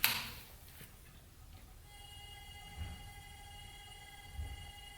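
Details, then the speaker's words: Car with replacement alternator plugged in, ignition on, fan running: thin steady one-pitch electrical buzz that stops when alternator plug is unplugged; alternator causing buzz and voltage drop. "it stopped making that noise and that is what was causing like the voltage to drop in the weird voltage situation that was happening"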